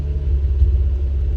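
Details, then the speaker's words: Mazda RX-8 rotary, owner suspects coolant or oil seal failure, OBD2 shows misfire code, restarted after clearing codes, still smoking: deep lumpy uneven rumble at idle; misfire. "so I just scan it right now with my OBD2 sensor and it says that it has a cylinder mire"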